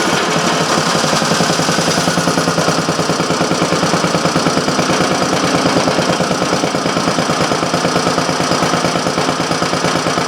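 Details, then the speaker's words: Briggs & Stratton Model A on the bench with a temporary gas tank, after a broken-off intake manifold: steady, even popping at about three beats a second; running cleanly. "okay so I got three of the four model age running"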